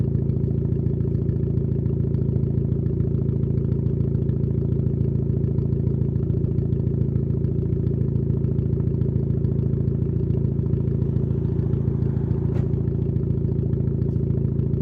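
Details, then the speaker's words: Project car with anti-lag/2-step tune, turbo regulator check turned off, running very thin oil: steady idle with an even light tick about twice a second; owner thinks it might just be an exhaust leak, feels engine needs sorting. "Yeah. I think that might just be the exhaust leak though."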